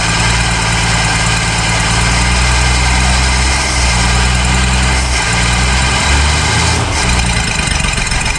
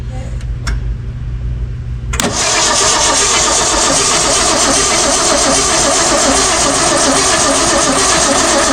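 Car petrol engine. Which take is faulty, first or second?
second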